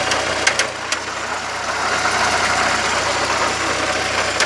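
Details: VW Gol 1.0 at idle: sharp ticks or knocks at uneven intervals over the hum; noise started recently, owner does not know the cause.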